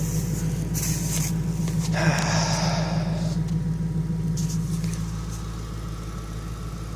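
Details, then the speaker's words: 1994 Ford Thunderbird V8 at idle, not yet warmed up, running old gas: steady even idle with low exhaust burble and faint fast ticking from noisy fuel injectors; otherwise healthy. "thing that the engine makes is the exhaust sound and the fuel injectors are a bit noisy other than that it's virtually silent"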